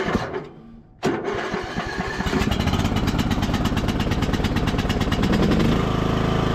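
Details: Revived MTD Bolens riding mower, not run for a few days, started on choke with little fuel: short stumble, then catches and settles into a steady, even chugging beat with no misses; engine running healthy.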